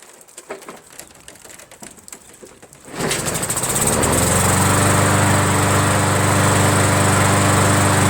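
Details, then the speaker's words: Roadside-found MTD 500E 21-inch push mower with Briggs engine, started on prime; owner suspected a dirty carburetor. One pull, it catches at once and settles into a steady, even drone with no misses or surging. Runs perfectly; normal running. "Wow, what the hell is going on here, man? Are people so rich out there that they just throw away a perfectly working lawnmower?"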